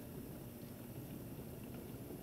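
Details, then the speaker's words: Frigidaire Gallery dishwasher in diagnostic test mode, still filling: low steady churning and sloshing with an even motor hum as the wash motor starts driving water, drawing about 0.2 A. Running normally. "Sounds like my motor's starting to try to move around. Still filling, but I do hear motor. I hear movement inside."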